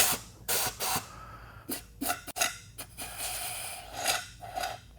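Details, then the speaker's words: Chrysler 904 automatic transmission on the bench, air-testing the clutch packs during a rebuild: thin hissing puffs of escaping air reveal a leak, possibly a cut seal; worn clutches can blow the piston out. "Almost sounds like it. Sounds like it's gone. See how hear that leak? Uh-huh. So we're gonna find possibly a cut seal or something in there even."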